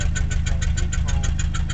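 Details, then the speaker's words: 1989 Mazda B2200 four-cylinder, 5-speed manual, smokes a lot, check engine light on, at idle: sharp, even tractor-like puffing about seven times a second; exhaust leak through a hole in the pipe. "as you can hear that whole Bobby there's a hole right"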